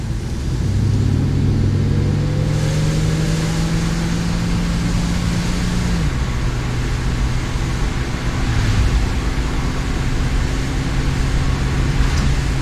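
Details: Classic car with central fuel injection, driving under acceleration into overdrive: uneven pull with dull stumbling and puffing. Rich-running misfire caused by a sticking EGR valve, with a hidden vacuum leak also causing high idle.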